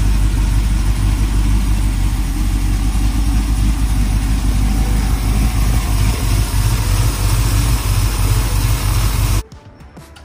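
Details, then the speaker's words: 1968 Suburban with 5.3 LS V8 swap after cam sensor replacement, which made the biggest difference: fires up readily and holds a steady, strong, even idle until shut off; normal start and idle. "you can see just how easily it is to start it up after we change the cam [Music] sensor"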